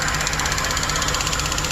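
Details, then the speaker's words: 2008 Chevrolet Express at idle during intermittent misfire diagnosis; fast even ticking from a very noisy EVAP purge valve over the steady idle. "That purge valve is noisy as hell"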